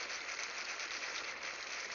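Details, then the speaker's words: Freeze Miser freeze-protection valve on an outdoor spigot, riser near freezing down to 5 feet below ground: steady even water hiss with no chatter or banging as the valve slowly closes while the water warms; freeze protection valve closing normally. "I hear it starting to close. Remember, this whole assembly here, all the way down to 5 feet below the surface, is pretty much at freezing right now. So the water's got to heat up that whole portion coming up. And you can slowly see it is closing the valve."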